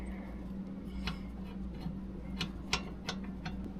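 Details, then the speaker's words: Predator 212cc race-built engine that locked up, turned slowly by hand: quiet sparse clicks, one per revolution near top dead centre, seeming to come from the head; cause suspected, not confirmed. "And I'm pretty sure, like I was saying, it's right when the piston reaches the top. Oh gosh, it's got to be something up in the head."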